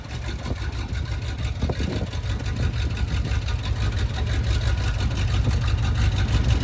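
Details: 1973 International Travelette crew cab, 392 V8, parked 30 years, warmed to temperature on a drive: deep, even rumble that climbs smoothly with no misses or knocks; normal warm running.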